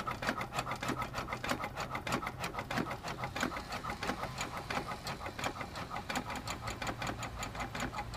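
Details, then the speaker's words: 102-year-old, largely original hit-and-miss engine, bore never opened: quick light knocks about three a second as the flywheel coasts between firings, averaging about 30 knocks per coast; healthy, normal. "so we're hitting about 30 on average out of this 102y old engine I don't reckon that's too bad"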